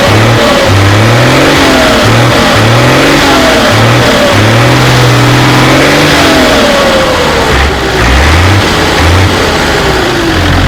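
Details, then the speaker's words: Mercedes truck OM352/366 diesel swapped into an MB Trac 1300/1500 with different manifolds; deep rumble rising and falling as blipped, settling to steady idle with only slight turbo whistle, less whine than before; normal revving and idling. "it sounds slightly different now with the different manifolds there was more of a whining from the turbo before we've lost slightly we've lost some of that slightly the way the exhaust has done differently but um it"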